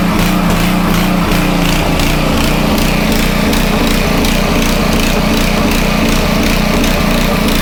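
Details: Homelite 2500 W generator after air filter cover refitted, no load, choke tried: uneven pulsing beat about three per second, never smooth; surging from ongoing carburettor fault, dirty removable jet later cleaned.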